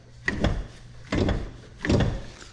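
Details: Rear left strut, freshly replaced and self-assembled, car jacked up and strut rocked by hand: three dull, woody clunks, also heard over potholes. The strut mount collar was left out, letting the mount move.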